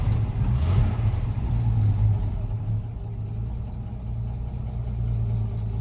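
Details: 1965 Ford F100 V8 after choke adjustment: deep, smooth idle that settles slightly as it warms, no ticking or stumbling; healthy engine with choke fully open, not yet fully warm.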